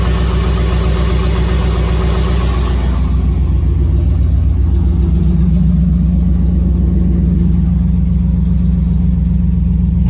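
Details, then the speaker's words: Chevy S10 with V8 swap built about 11 years ago, long stored after fuel pump failure; running on old gas with a Silverado pump fitted. Loud V8 revving then settling into a steady, lumpy idle; normal running. "got some old gas but it's running"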